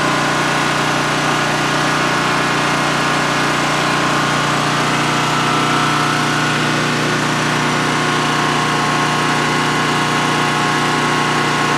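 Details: New DuroMax XP15000HX generator installed in a shed, second start-up on propane with the exhaust fan off: a steady, even drone and constant low hum with no misses, knocks or surging during a 5-minute run. Normal idle, no issues.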